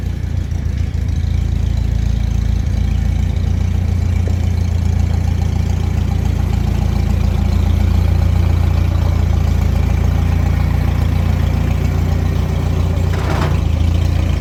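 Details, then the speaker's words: Farmall H tractor idling, owner suspects low fuel and being parked on a hill; low, heavy thumping at a lumpy, slightly uneven beat, running rough. "Sounds like the H is getting mad. I think it's low on fuel and I parked it on a hill."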